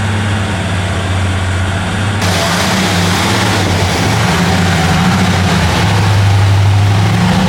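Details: Chrysler 300J with 413 Cross Ram V8, just reinstalled and started during carb tuning. Deep, even rumble holding steady idle while warming, no knocks, misses or ticks: normal warm-up idle.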